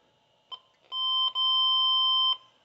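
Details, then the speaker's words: 1980 Triumph TR7 wiring check: a short chirp, then a steady high beep for about two seconds from a continuity tester, showing a complete circuit to ground that was only grounding out through the fitted light bulb. "said to myself, oh dear, something's wrong with that. But it was only just grounding out through the light bulb."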